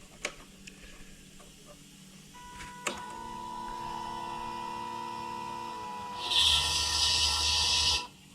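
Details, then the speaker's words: Arctic Cat 650 ATV parked about two years, after carburetor cleaning: thin steady electric whine for a few seconds, then a louder hum as the electric fuel pump runs normally. "Yep, I heard the pump run that time. But anyway, the pump is running."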